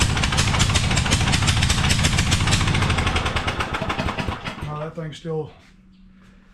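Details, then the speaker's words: Murray 42-inch riding mower with an 18.5hp Briggs & Stratton PowerBuilt OHV engine and a Nikki carburetor, test-started after a part replacement. Uneven, stumbling beat with irregular gaps before dying. Badly misfiring; carburetor suspected. "still missing real bad. It's got to be that carburetor. Got to be."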